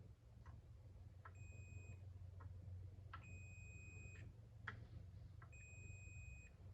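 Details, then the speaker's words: Big LeBlond machine power box being checked before powering up, with the breaker racked in and the meter across its contacts: three clear, steady high beeps, each under a second and about a second apart, showing continuity as expected. "Okay, now we'll rack it in. Now there should be continuity between these ones."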